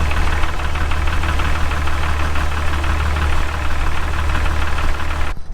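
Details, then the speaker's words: Jeep Wrangler at cold idle: a heavy low rumble with a faint steady valvetrain tick at engine speed. It goes away once warm, and the owner suspects a lifter or rocker; the exact source is unconfirmed. "mine does go away after it warms up so i know it is a lifter or a rocker or something like that but if yours doesn't go away or if it's more serious than this or if it's louder than this then definitely you should be a bit more concerned"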